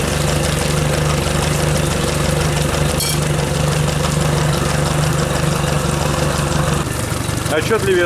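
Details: Yamaha F60 outboard at idle: steady note with an irregular dull knock about three a second, heard at the crankshaft near cylinders 3 and 4, unchanged with those plugs removed; piston slap.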